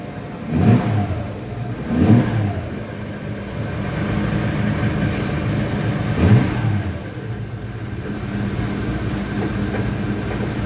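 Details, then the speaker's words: 1976 Dodge D100 slant six just fitted with new exhaust, started in neutral: steady idle with a few throttle blips, even exhaust note, no ticking exhaust leaks; sounds healthy, though fuel is seen pouring from the carburetor. "yep sounds like an engine I don't hear any bad leaks or anything so I think we're in good [Music] shape"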